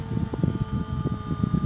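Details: Cheap Foxconn brushless DC box fan driven by a 555-timer PWM circuit as speed is lowered from full: steady thin whine over an uneven low fluttering hum; PWM-induced tonal noise from the fan motor at reduced speed.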